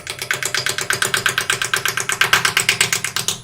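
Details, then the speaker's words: Wood lathe turning a 6 x 6 x 12 inch spindle blank with a spindle roughing gouge: a sharp, steady clack about three times a second, locked to rotation, over the cutting hiss; a loose piece of wood on the blank hitting the tool. "now can you hear that clap clap clap clap clack that's that piece of wood there that's loose and it's not loose enough for me to peel it off at the moment but that's what made that sound"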